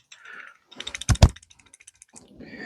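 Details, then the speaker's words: Simson/MZ ignition coil on a Bosch tester, replica coil: uneven rattling spark snaps about ten a second with sharper cracks; suspected contact problem or internal coil fault, coil should be replaced. "Aber man hört, die klappert auch. Die DDR klappert nicht, aber die klappert irgendwie."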